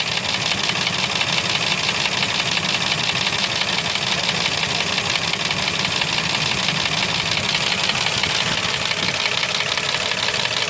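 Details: Mercedes M112 engine with scored cylinders/pistons, driven knocking for three months: rapid regular tapping about three per second over steady idle; piston slap from scored cylinder walls.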